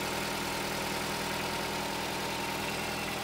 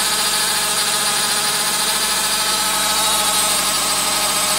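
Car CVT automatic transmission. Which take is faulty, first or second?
second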